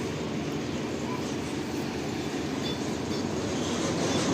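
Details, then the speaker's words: Washing machine spin after removing cloth caught under the drum that had been hitting the body and causing loud noise: steady, even hum and whoosh with no rubbing or scraping. Spin now sounds normal. "देखिए बिल्कुल आवाज सुन पाएंगे बिल्कुल भी normal आवाज है जो motor का आवाज होता है वही आ रहा है"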